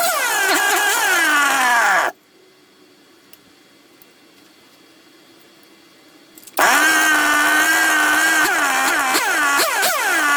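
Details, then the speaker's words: Secondhand 1/5-scale RC Baja two-stroke after replacing the isolator block. It revs up with a wavering, unsteady pitch, cuts out, then restarts and hunts around. Rough running; the owner says it still seems to be an air leak, not yet pinned down. "all right still seems to be an air leak yeah it's another tricky do"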